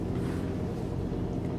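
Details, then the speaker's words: Generator on a 2023 Newmar Essex 4521 45-foot diesel pusher (Spartan chassis, Cummins, Allison), heard inside: smooth steady low purr, no knocks or surges; normal generator running. "Our generator is running right now, if you hear that purr."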